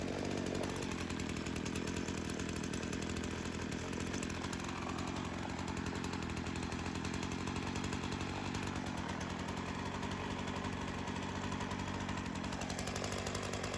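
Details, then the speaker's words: Craftsman chainsaw that sat for years, rerun days later after cool-down: steady two-stroke buzz with no hunting or stalling, then loads and recovers cleanly. Carb acting more natural; tip test shows no head gasket or crank seal leak. "Yeah, I feel pretty confident in saying that that carb's acting a lot more natural. We checked the seals, we tipped it back and forth. The idle didn't seem affected enough to indicate any sort of, leak within the head gasket or the crank seals."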